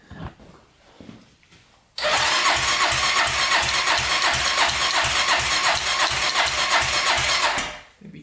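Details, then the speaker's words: 1999 Honda 400EX carbureted quad being turbocharged, water line unhooked: the starter cranks steadily at about three pulses a second for six seconds and never catches. The owner suspects a weak battery or fuel not being drawn far enough. "huh maybe a stronger battery here doesn't want to run i don't know if i can pull up that fuel that far a little bit worried about that"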